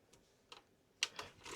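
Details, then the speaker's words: Technics MiniDisc deck (SJ-HD501 or SJ-HDA710, eBay untested) spinning up and trying to read: sharp irregular ticks as the mechanism hunts without settling; found to be a dirty laser and stuck sled rail, likely needing grease and clean. "Oh, actually, I can hear it spinning up. Yeah, it sounds like it's trying to read."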